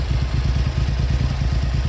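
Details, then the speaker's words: Triumph Hurricane X75 triple after a third-party restoration, still warming on choke: fast but slightly uneven low thump at tickover, light on the right-hand cylinder; throttle sticking slightly. "it is a bit rough on tick over not the worst I've ever encountered and uh it's certainly light on the right hand pot"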